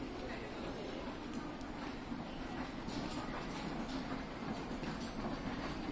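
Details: Hitachi escalator riding upward, steady rumble with light repeated clacks about once a second (katan katan); noisy, especially from first-floor top panel, cause unclear.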